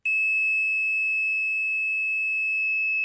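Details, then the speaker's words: Torque Acoustics T100L guitar amp, dead with no sound: continuity meter gives a steady, unbroken tone for about three seconds across a 2200 µF filter capacitor that looks fine cosmetically; dead-shorted, short disappears when removed. "you get a dead short. Although cosmetically it looks fine, it hasn't blown up or burnt up, but I'm pretty sure capacitors are not meant to be a dead short."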